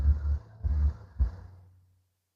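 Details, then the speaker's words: 2017 Toyota Fielder Hybrid, engine temperature light, AC inverter load malfunction: radiator fan commanded on by scan tool, starts after a tap, wobbling, low hum surging then winding down, much louder than before; faulty cooling fan motor, failing brushes. "And it sounds much louder than before. So that let me know that we do have a faulty fan."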